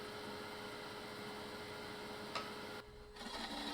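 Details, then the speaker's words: Small live-edge ambrosia maple bowl on a lathe at about 1200 RPM with a 40/40 gouge: steady hum with a soft, even hiss, the sound of correct cutting; pressing the bevel too hard or a dull tool changes it. "Hear the hissing? If you're not hearing that, you're cutting wrong. Something is wrong. Usually pressing the bevel too much will change the sound, or unsharp tool."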